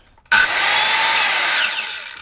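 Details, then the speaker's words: Evolution circular saw for cutting steel, no soft start, first start-up in workshop; motor jumps straight to high steady whine, not violent, then coasts down smoothly on release; healthy start-up. "And normally with these saws that don't have the soft start on, it's normally quite a violent thing when it comes on. But that's not bad, I'm not really holding that."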